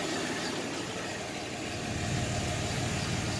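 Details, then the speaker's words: 1990 Chevrolet S10 Blazer 4x4, 4.3 V6 automatic, 216,131 miles, first cold start after years sitting, exhaust system needs replacing: steady fairly even idle, low rumble, no misfire or knock, running on all six. "it's running on all six so far i'm sure when it gets warmer it runs more"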